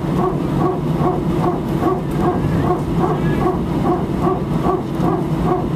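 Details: Air France A319, flight AF2487 Sofia to Paris, 15/01/2012, recorded from cabin seat 18F while taxiing before take-off: rhythmic bark-like pulses a bit over twice a second over steady cabin rumble; strange repetitive barking noise, source unknown.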